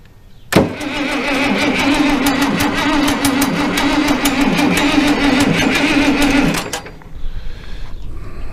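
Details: International Harvester 1086 diesel tractor, fire-damaged and sitting for years, cranked with throttle: the starter turns the engine about three times a second for six seconds without catching, then stops. Owner suspects air in injector lines.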